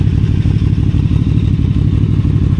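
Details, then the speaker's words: QJMotor Flash 600 V4 at idle, quad exhaust, idle still relatively high and expected to drop: deep, even throbbing with steady low pulses and no knocks or rattles; healthy, smooth idle. "Because his car has a particularly nice idle speed. It doesn't sound that good when running. It feels like this when idling."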